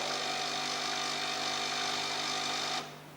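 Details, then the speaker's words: Xiamen Fast Cleaner Auto Coffee Maker 010 with right rotary tap opened: steady buzzing hum at fixed tone for nearly three seconds, then stops cleanly as the pump fills the cup; normal. "We should then hear the sound of a pump as the cup fills with water."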